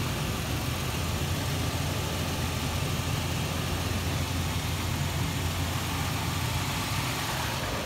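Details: 2008 Toyota 4Runner SR5 4x4: smooth, even low idle with a light steady tick from the belt side and no squeal or knock; the engine is idling healthy.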